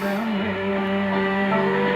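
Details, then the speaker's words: 1938 Sears Silvertone 6135 console radio after recap and a speaker choke coil (output transformer) fix, likely its first play since the mid-1940s: clean steady music with clear tones, no hum, crackle or distortion. "that's the problem I had with this radios that had it bad you'll attract side to replace that and well as you can hear it sounds good"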